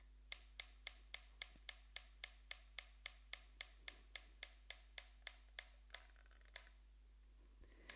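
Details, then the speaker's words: Franz electromechanical metronome on its slowest setting, a wheel rubbing the motor-flywheel cone drives a cam and spring beater against the Bakelite case: crisp even ticks around 109 per minute over a faint motor hum; normal. "So right now it's on its slowest setting, and you see that spinning wheel, that is rubbing against the top of the cone on the freewheel on the motor. That has the cam on it, and it's making the spring go up and down and beating it."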